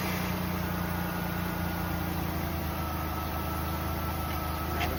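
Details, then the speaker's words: 2004 Ford Taurus after fixing a no crank, no start, no comm caused by dirty PCM grounds (earlier blamed on the computer), coolant leak still present: quiet, steady, even idle, no misses or knocks; normal idle. "car runs. The only thing he has another uh he has a coolant leak."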